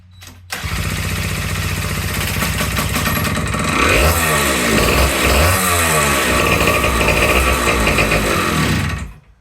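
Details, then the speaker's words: Vintage two-stroke motorcycle readied for Mid-Ohio vintage days, started on starting fluid: a crisp two-stroke buzz fires straight up, with a couple of quick rev blips and a steady run before cutting, sounding healthy. "That's all I wanted to know. That sounded pretty good."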